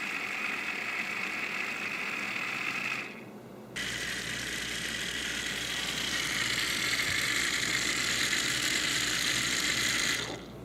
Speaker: What we found out is with the top cap on this, it was creating back pressure. So the pump wasn't able to flow freely.